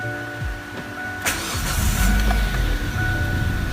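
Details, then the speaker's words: 2007 Kia Spectra petrol engine after cleaning the IACV (also MAF, PCV valve, throttle body suggested for rough idle): cranks briefly, starts cleanly, steady even idle around 800–900 rpm, then a rev; normal cold start and idle after repair. "Startup is really good. Idle is like 800, fucking 900. Give it a rev. Sounding good, sounding good."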